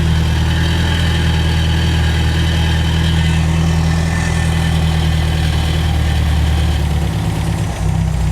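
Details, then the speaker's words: Warm idle of a 1975 MGB that sat 16 years, running before its new carburetor arrives (brakes and clutch not yet working), oil pressure just over 50; deep, steady, even rumble with no misses or knocks, a normal healthy idle. "exhaust sounds good she's healthy this is another one that wants to live guys"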